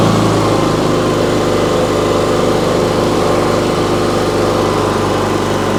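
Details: Briggs & Stratton P3000 PowerSmart generator, after fuel pump replacement and tune-up, starts on choke and gives a constant, smooth drone with no surging, misses or knocking; it runs steady and healthy.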